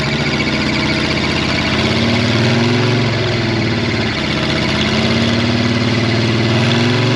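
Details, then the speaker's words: Monster truck stuck in a pond, engine straining under load during pull-out: rough rattling clatter with wavering pitch, driveline broken; transmission and/or drop box suspected, no grinding heard, cause unknown. "That sounded really bad. That sounds really nasty. Is that the transmission and the drop box?"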